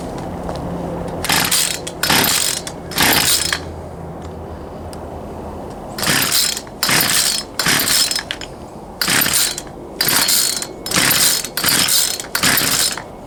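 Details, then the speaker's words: Poulan Pro 222 38cc chainsaw that won't start, fuel return line previously found missing: about a dozen recoil pulls in bursts, never catches; suspected carburetor fuel delivery issue, later traced to misrouted fuel lines. "on I believe we still have a carburetor field delivery [Music] issue try it one more time and I'm pretty sure we're going to have to go back in there figure out this carburetor issue"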